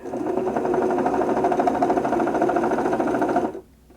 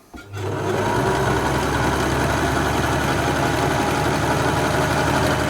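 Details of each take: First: 1974 Singer Genie 354 sewing machine after servicing: the bobbin winder whirs with a loud, rough chatter because its old rubber drive tyre is worn and should have been replaced. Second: 1974 Singer Genie 354 sewing machine after full service, cold machine in a cold room: steady, even whirr at a brisk constant speed with no knocks or catches; normal running, seemingly faster than before service.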